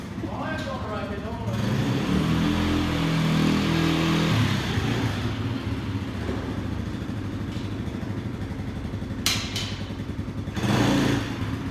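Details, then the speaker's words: Cold Polaris 90 kids' quad, small single, running with the choke still on: revs unevenly, bogging and surging with a lumpy rich beat. "shoka's still on that's why it sounds like that"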